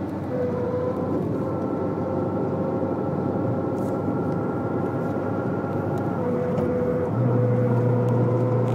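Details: Citroën Saxo: steady mid-pitched drone from the front at certain highway speeds and throttle, heard over road noise; solved by replacing the left drive shaft.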